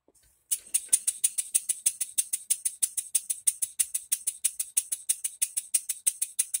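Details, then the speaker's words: Rebuilt English bar-stock model engine on air after reassembly, with new crosshead and main bearings, reamed cylinder, new silicone-ringed piston, valve timing set; crisp even exhaust chuffs about three a second, clean hiss, no knock, runs sweetly. "what a good sound I like it guys pinch back here to it a little bit really nice well guys she runs but she still needs a base"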